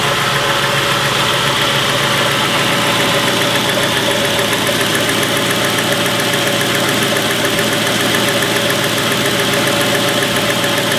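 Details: 2001 Crown Victoria Police Interceptor, Modular V8, 156k miles: at idle a light, quick ticking of about three to four ticks a second sits over the engine hum.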